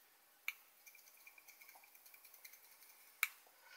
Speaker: my whole top is loose see I heard it rattling I heard it rattling that's that's what it is